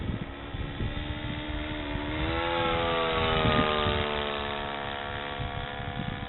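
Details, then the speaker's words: 1/4-scale RC Corby Starlet model airplane engine, freshly retuned after stalling under load on the two previous flights; throttle being worked, clean buzzing note rising and easing smoothly with no stumbles, more power than earlier, running a lot better; normal running. "It's running great. I'm jacking with the throttle. Okay. It's got more power than it did earlier. It's running a lot better."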